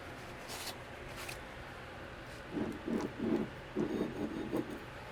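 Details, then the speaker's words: Cub Cadet 1529 mower deck spindle (OEM spindle discontinued, possibly rebuildable), turned by hand: short, gritty, uneven low-mid growling bursts each time it turns; an unhappy, worn spindle bearing. "Yeah, that just sounds like an unhappy bearing in there."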